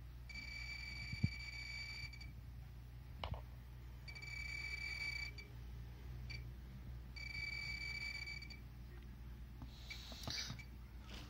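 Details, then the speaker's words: Pripyat RKS-20.03 dosimeter (SBM-20 Geiger tube) held to a check source: high-pitched beeping bursts, each over a second, about every three seconds, readings rising and falling as they should; normal Geiger counter response. "рассмотрим слышно и видно приборе на гиров датчики оживают отчетливый звук дата видит показаний растут вот снижаются показатели падают какие положены как и должно быть"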